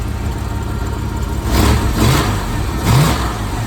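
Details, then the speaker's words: 1992 Ford engine after new radiator and new injectors, just started before warm-up: even idle and two clean throttle blips, no stumble, far less shaky than before; faulty injectors suspected cause; timing still to adjust; smooth. "well here she is it's fired it up sounds pretty good doesn't sound near as shaky as it was before so I think we definitely had some injectors that were giving us some bits"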